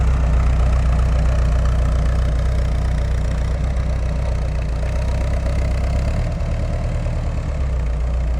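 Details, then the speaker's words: 1988 VW Westfalia camper after wrenching, warmed up after a drive at 50–55 and parked in the driveway to hear the fan come on. Loud, even low rumble at warm idle with the fan running, no knocks or misses. Normal idle; loud but typical for these. "that's more like it it's loud but they're all loud so that should do"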